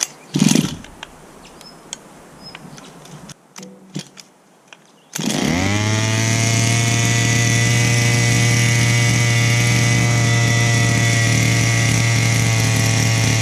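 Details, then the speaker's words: Chung Yang 23cc two-stroke engine for a Baja 5B RC car, previously not starting and flooding, now running on a Walbro 1191 carburetor, warm: steady even buzzing idle with no stumbles; normal running. "I just wanted to show you that the engine is running"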